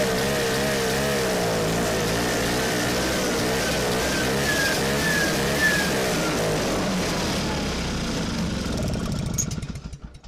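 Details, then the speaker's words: Vintage two-stroke sled with an old cheap diaphragm kit, stored since last spring, on choke: fires, runs unevenly with wavering pitch several seconds, then sags and dies. Fuel is pumping; owner suspects a stuck carburetor needle, and the carb has to come apart. "We got fuel pumping. I think the needle's just stuck in her. Try her again."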